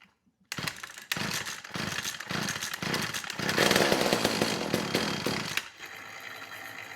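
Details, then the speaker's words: McCulloch Eager Beaver 2.0 cu in two-stroke chainsaw, on the bench after carburetor clean, first run (was a no-start): ragged revs with an uneven burbling four-stroking beat; sounds rich, so the low-speed jet is to be turned leaner. "sounds rich so i'm going to dial the low speed jet back a little bit"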